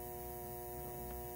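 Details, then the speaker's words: Speaker transformer from a 1947 Sentinel 294T radio, primary plugged straight into a 120 V outlet: steady low mains hum with a buzzy edge, yet only four or five volts on the secondary; transformer suspected faulty. "I decided to plug the leads right into the 120 volt outlet something's happening get that transformer home"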